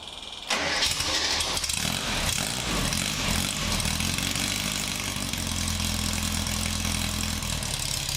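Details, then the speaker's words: Swift FF95 Formula Ford that had a misfire, now with a new fuel tank: cranks briefly, catches cleanly and settles into a steady idle with no stumble or popping. A dyno check is planned. "that all seems good I think I'll go to the dino in the morning and make sure that's all running fine and there's no misfires and everything's good"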